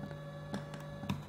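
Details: 2.1 home theatre speaker system with a manufacturing defect: a steady low mains buzz with the volume off, plus faint ticks. The earth ground loop feeds hum into the amplifier, and cutting the earth connection removes the hum.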